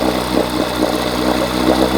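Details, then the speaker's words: 1980 Evinrude 4.5hp two-stroke outboard running with a busy, uneven burble, flooding; it runs with the fuel valve shut, and the owner suspects a stuck needle before the carb rebuild, pulse tube diaphragm fix and float adjustment. "So, what I notice is if I shut the valve off, it runs. Turn it on. Pulling in too much fuel. So, I think the needle might be stuck"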